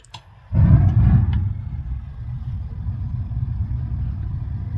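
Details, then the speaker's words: Bradford White gas water heater, being reset after the pilot was lit and the status light turned green: soft click, then a deep whoosh settling into a steady low rumble; the main burner lit normally. "Did you hear that? Kinda gas on ayindi. Yeah, I think it started."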